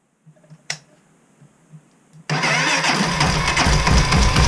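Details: Honda XR400 cold start at -5°C, stock automatic cam chain tensioner fails to hold chain tension: fast steady tick about four per second over cold idle, nearly vanishing when warm; cold-start engine ticking, likely slack cam chain.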